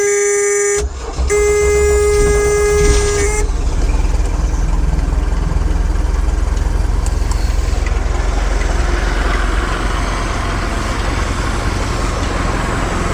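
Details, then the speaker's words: 1976 Mercruiser 120hp in a 1976 Starcraft boat, cold start on full choke with water hooked up for winterizing: brief tone then a loud, steady, even run with no misses as the heat riser opens the choke; healthy cold start. "the heat Riser that comes off the exhaust manifold here warms this spring up and makes that makes that open up she fired right up pretty decent"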